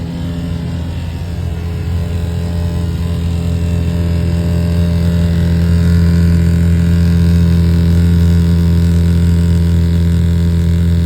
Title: Strange noise when Furnace kicks in. #furnace #hvac #hvacairsystem #hvaccontractor